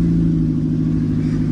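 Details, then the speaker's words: Minivan work truck with catalytic converters stolen, driving away from a red light at about 2000 rpm in rain, windows up; loud, deep, raw droning roar far too harsh for stock exhaust; open exhaust from missing converter. "I'm at 2,000 R bro I can spare the fumes for this bro this is too much bro"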